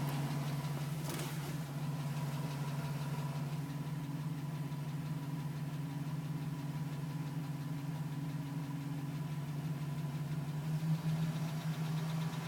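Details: 2010 GMC Sierra with 2000 miles, cold idle. Light, quick tapping, around three taps a second, running through a steady idle; owner suspects piston slap. It was still tapping at 4 minutes and stopped at 5:42 when warm.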